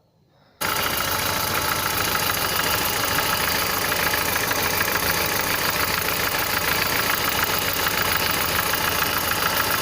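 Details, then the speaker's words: Engine with the microphone held close to the cylinder: a dull, heavy knock, like a large object striking, repeats about three times a second over alternator bearing noise and a possible exhaust leak near a recently fitted flex pipe; owner suspects camshaft/bearing bed, with misfires noted. "звук действительно напоминает именно глухой то есть как бы я бы сказал что это какой-то большой предмет бьется от большой предмет вот как то так"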